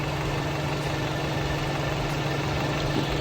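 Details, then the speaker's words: 2019 Mercedes-Benz A220, 2.0 L turbo GDI four-cylinder, misfire without DTC, plugs and coils already replaced: uneven, stumbling idle with one cylinder dropping out. Oscilloscope shows a missing injector pulse; the injector is suspected of an internal fault, working only at half cycle. "cómo es que nuestro pulso faltante es el inyector el que no está haciendo el el el mecanismo de pulsado. Tal vez nuestro inyector tenga un problema interno en el mecanismo de él y no está trabajando como debe ser."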